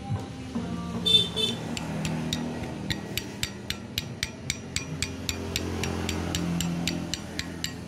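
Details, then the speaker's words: Yamaha Alfa two-stroke motorcycle engine that runs rough and rattly: a sharp, steady tick about four times a second over the idle, traced to a worn connecting-rod small-end bearing; the magneto rotor had also been rubbing and scoring. "sudah terdengar jelas kelompoknya Alfa milik Pak RT ini adalah bersumber dari Setang Seher laher"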